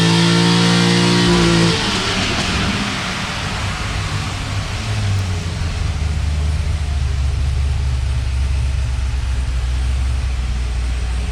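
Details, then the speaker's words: C6 Corvette Z06 V8 on the dyno after valve guide repair: deep roar dropping from high revs to a strong steady low rumble under load, smooth and even; healthy. "So as soon as Doug gets back, we're going to listen to this thing run on the dyno."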